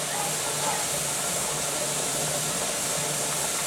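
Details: Pressure canner with tomatoes on outdoor LP hotplate, under a minute of venting left before the jiggler goes on: steady even hiss of escaping steam, no sputter or surges; normal venting.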